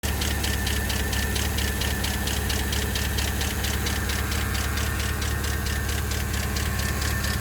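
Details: 2012 Chevrolet Camaro SS L99 V8: fast, fairly regular ticking about two per second over a steady idle; abnormal top-end tick, cause unclear.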